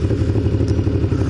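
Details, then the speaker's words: Kawasaki ZN1100 motorcycle idling low: lumpy, uneven thud roughly ten beats a second, only on the left side and mainly at low rpm; owner suspects a misfire, cause unconfirmed. "is that misfiring or what? I don't know what the term would be. It's just like, dun, dun, dun, dun, dun, dun. It's only the left side too. It's really only prevalent like when it's at a low RPM."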